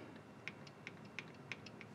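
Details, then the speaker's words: Panasonic NN-SD975S microwave after disconnecting the speaker to silence the beeper: four or five soft keypad clicks about a third of a second apart, no beep after any press. "I mean just to prove it works boom boom boom no more beeping"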